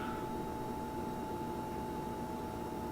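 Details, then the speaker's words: Portable beer refrigerator, about two years old, kept at 36–38°F, buzzes like a failing fluorescent bulb whenever it comes on since new; thin steady mid-pitched buzz over quiet hiss, source unknown. "I have no problem with it except when it comes on you hear that buzzing it's almost like a fluorescent bulbs"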